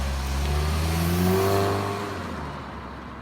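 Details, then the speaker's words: Saab four-cylinder turbo car accelerating on the road: engine pulls hard with climbing tones, then a faint hiss as the throttle lifts; normal turbocharger spool. "Do you hear that hissing? Or did you hear the hissing? That was the turbocharger in action."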